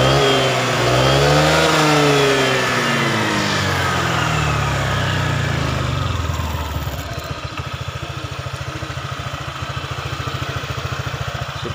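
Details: Honda PCX 150, final result after a full tune-up, valve adjustment, and complete CVT cleaning; the original complaint was an unstable idle. The engine sweeps up and back down smoothly, then settles to a steady, even idle thump; it runs healthy and stable.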